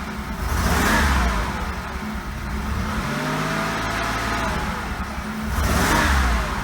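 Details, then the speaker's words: Oldsmobile Cutlass Ciera wagon, sat for months after leaving Florida: engine revs roughly and unevenly under acceleration with a stumbling, choppy pull and exhaust pops, vibrating enough to shake the camera; misfire, owner suspects coil pack or bad gas. "it's very choppy the acceleration actually see the camera vibrate that's how much the engine vibrates when you accelerate it's missing"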